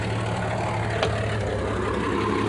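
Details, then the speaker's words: 1989 Jeep Cherokee 4.0L I6 Renix, just after replacing the fuel tank and pump and purging air from the new pump; low idle rumble, faintly uneven with one brief catch and no clear misfire pattern, still settling. Rough running. "yeah baby needs a little work but it's getting there"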